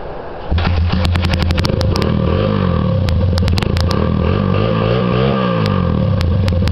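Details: 1993 Honda XR100 single-cylinder with stripped spark plug threads temporarily fixed with a Helicoil, usually hard starting: catches and settles into a steady, even putter with a brief rev, firing smooth and regular, running well.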